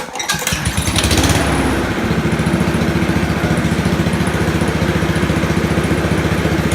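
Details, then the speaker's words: Honda HRU216 mower after governor arm adjustment to fix low top-end rpm: small single revs up and holds a fast, even beat with clean firing and no hunting or surging at full speed. "you see the difference a mix is huge still idles really nice but top-end flat"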